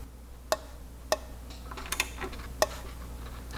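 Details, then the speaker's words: 1961 Ford F100 Unibody straight-six, crank turned slowly by hand: sharp, isolated pops every second or so. First thought to be a main bearing area, then traced by ear to cylinder six, which was earlier damaged by a screw. "I'm gonna start turning or see if we can hear it there was just popped again almost seems like it's coming from right here in the one of these uh main bearings see areas again"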